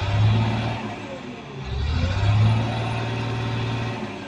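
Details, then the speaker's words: CAT 950H shovel with a hard-starting diesel, now started and idling with an uneven lumpy beat that rises and sags; misfire from a dead number two injector, monitor showing no error. "now it's already started but one injector number two injector is not working"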